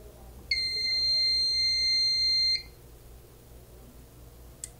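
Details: Fire alarm panel (with System Sensor SpectrAlert Advance P2R and Fire-Lite BG-12LX devices) reset after a smoke detector test: one steady, high buzzer tone for about two seconds, then quiet, the panel's normal lamp test.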